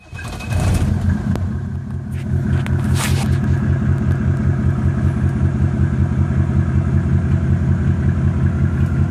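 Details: Mercedes E300 OM606 diesel at idle: lumpy, uneven idle with a loping pulse and occasional irregular knocks. Owner suspects bad motor mounts, due for replacement, and possibly a leaky injector causing the random knock; unconfirmed.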